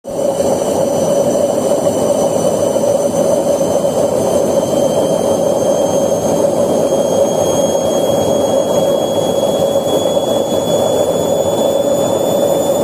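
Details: Candy washing machine drum spinning up: loud steady rumbling roar with a high whistle rising in pitch as the drum accelerates, from a worn drum bearing.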